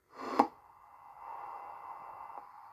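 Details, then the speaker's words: Faulty Lowe HF-250 receiver before repair, logic boots fine: thin hissy hum in one narrow midrange band like CW on a very narrow filter, sounds horrible; tuning changes nothing and a 10 MHz AM test signal isn't received. "it just sounds horrible [Music] nothing really sounds like it's on cw on a very narrow filter that's the best way i can describe it"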